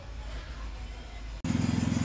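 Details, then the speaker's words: Fiat Argo after replacing valve cover PCV diaphragm, cleaning and new valve cover: even, steady normal idle, annoying noise gone, no ticking or hissing. "é bom aqui no Fiat argo zero bala acabou o barulho é e não tem mais aquele barulho chato"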